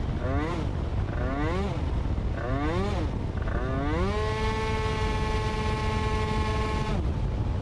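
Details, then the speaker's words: Yamaha scooter with a CVT belt drive and a recent upgrade: quick throttle blips, then a rise that flattens into a drone. After speeding up, letting off and reopening the throttle, pickup lags because the transmission does not shift back up enough; it needs readjusting. "kad tu ieskrienies lielākā ātrumā un atlaid ručku un dod vēlreiz virsū, tad ir tāda aiztura baigā. Tā it kā, nu, transmisija neuzslēdzās atpakaļ uz augšu, pietiekami pārnesums nepārslēdzās."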